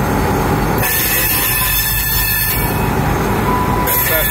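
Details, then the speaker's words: Rail car with wheels of varying wear profiles rolling through a curve: steady rumble with thin high squealing as the leading wheel flange presses against the rail head; flange contact squeal. "That's what uh produce most of your sound. High pitch squealing sound like that."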